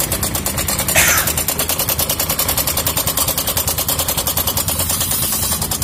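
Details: Yamaha Mio M3 scooter at idle: fast rough metallic rattle, about three clicks a second, like a sewing machine (jrek-jrek); loose cam chain, fixed cheaply to run smooth again.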